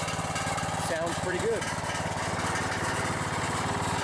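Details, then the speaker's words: Riding lawn mower engine thumping steadily at idle with a loose metallic buzz on each firing pulse; the muffler is rattling, otherwise it runs fine. "let's see what this one sounds like it's the muffler's rattling a little bit yeah that rattle is some muffler well other than that muffler rattling"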